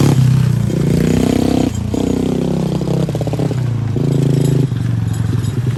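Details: 110cc four-wheeler ATV after service with new carburetor, spark plug and alignment, broken fuel part fixed: small single revs up and down cleanly, pulls smoothly, settles without stumbling; normal running.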